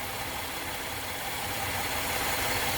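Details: 2013 Chevrolet Impala that had a check engine light (EVAP purge code) and misfire after refueling, being fixed by replacing a stuck-open EVAP purge valve: steady, even idle with smooth hum, no hiss, miss or stumble; engine sounds healthy.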